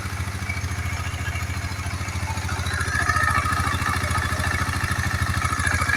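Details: KTM Duke 250 single-cylinder at idle after repair for a rough engine noise: even, quick beat that picks up slightly and stays steady, no clatter or tick standing out; sounds healthy, normal idle.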